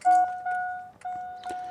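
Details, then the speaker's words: 2000 Chevy Silverado 5.3L won't start, engine off: clear ding-dong chime repeating about twice a second from old aftermarket alarm stuck, ignoring remotes and believed to be blocking ignition; alarm chiming continuously, fixed by cutting out the alarm system. "So, I'm just going to go through that and uh chop everything out so that we can get this truck started again cuz it's just stuck in this mode of like where none of the remotes."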